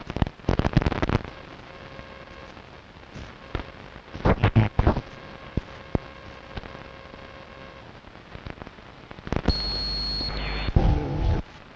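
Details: Strange noise on long wave radio, recorded 0134 UTC 06.06.2012 with DSL modem and router off, not from the home: irregular crackles and pops over steady hiss, brief steady whistle near the end; interference of unknown origin.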